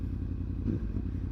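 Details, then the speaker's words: Yamaha R1, hot at 92 degrees, after fitting new ignition coils: smooth, steady low burble with even firing and no stumbles, a stable normal idle at a consistent 1300–1500 rpm. "as you can probably hear she's iding a little bit more higher I suppose you could call it she's iding at a consistent 13 to 1500 RPM even at 92"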